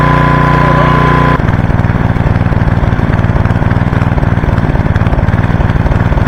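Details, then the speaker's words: 1985 Briggs & Stratton single-cylinder generator, left in the rain for years, revived and running under load: deep, even thumping with a steady beat, no stumbles or hunting; it produced power, then ran out of fuel with the petcock off. "so cool we calling that a success she produced power don't know if you could hear the vacuum she produced power"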